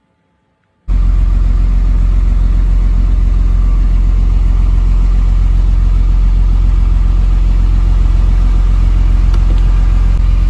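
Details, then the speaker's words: Mercedes-Benz 230SL (W113) from about the 1960s, inside the moving car after adjusting the upper-front sliding glass guide: steady road and engine rumble, door glass rattle when lowered below half now gone. "調整前はガラスをここよりも下げた時にガタガタ音がしていましたが静かになりました"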